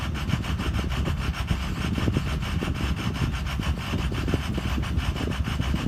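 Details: Ford Excursion 6.0 diesel: uneven, lumpy idle with irregular rasping pulses, intermittent rough idle that occasionally settles to normal; cause unknown.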